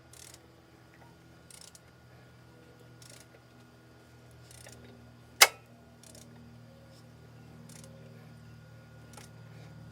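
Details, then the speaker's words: Mercedes GLS 450 with M276 engine, check engine light and code P0016, rattle at start-up: engine turned slowly by hand gives a dry click about every 1.5 seconds plus one sharp snap; worn, defective camshaft phaser with excessive play. "You heard that noise? That's the noise that um it makes when you first start it cl. Yeah, it's not supposed to do that. And you heard it came from this. So this uh yeah this this this phaser is bad."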